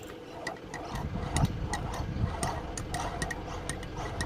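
Spun by hand, the pump gives a dry, uneven ticking every quarter to half second over a rough rumble: a failed bearing with broken internals.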